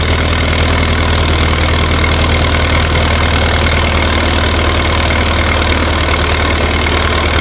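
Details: 1964 LeRoi 125G1 trailer air compressor, straight-piped, output wide open so it runs unloaded: loud, raw drone at a steady idle, firm even low thump with no stumbling; runs normally.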